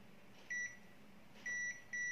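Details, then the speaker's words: Three short high steady beeps from a Zotek ZT111 digital multimeter on continuity/buzzer setting, probing a phone-board capacitor to ground; beep on the ground side only, none on the other, means normal, no short. "c'est la masse pour le condensateur là il devrait y avoir un son à côté et non, cela signifie normal"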